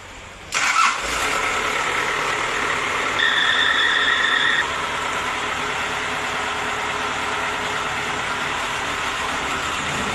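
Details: Engine that would not start, now restarting after glow plugs ('heaters') were tested and found all blown, then replaced: short crank, it fires, picks up briefly and settles into a steady, even idle, starting cleanly.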